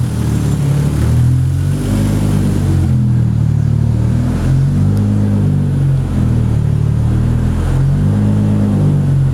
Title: Supra Motor Rod Knock